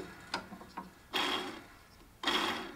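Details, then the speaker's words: Husqvarna lawn tractor drive idler pulleys hand-spun with belt loosened and parking brake on: center pulley gives a dry, gravelly rasp that dies away, noisier than the others; worn idler pulley bearing. "if you haven't already determined which pulley is bad you're gonna want to put the parking brake on and loosen up the belt and spin each pulley independently the bad pulley is gonna make the most noise"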